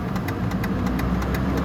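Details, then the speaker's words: 2004 Chevrolet Trailblazer at idle after startup: crisp light ticking in quick pairs, owner believes a failing, noisy HVAC blend door actuator. "it also has a weird ticking sound when you start it i believe it's just a blender door actuator for the for the hvac"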